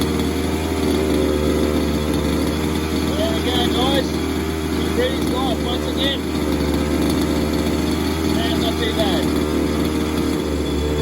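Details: Falcon buggy two-stroke engine first start, on choke: steady high buzzing with an even note and no stumbling, voices and laughter over it; runs healthy.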